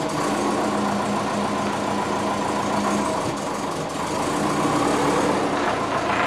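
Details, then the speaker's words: Twin-turbo (GT35 & TD05) Subaru Forester, first move since rebuild and new ECU, reversing out; uneven lumpy beat and hunting idle, running rough; owner unsure if cold transmission is to blame; 86°C, AFR target 14.7, vacuum leak suspected. "done it's out it's not happy though i don't know if it's just because the transmission is cold"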